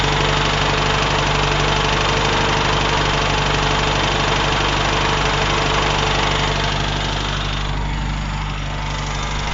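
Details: UZAM 1.5 petrol engine after rebuild, knock appeared around 1,200-1,400 km despite valve adjustment, slight choke, 1500 rpm: steady rhythmic knock, like something hanging and tapping, over running noise; source unknown, chain rubbing tensioner noted but owner doubts it.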